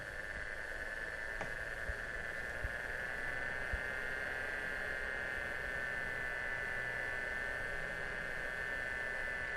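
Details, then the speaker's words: Enermax Coolergiant 480 W power supply fans adjusted from minimum to maximum speed: even airy whoosh with steady mid-pitched hum, no rattle or grind; normal fan operation. "Now have a listen as I increase the fans from the minimum to the maximum position."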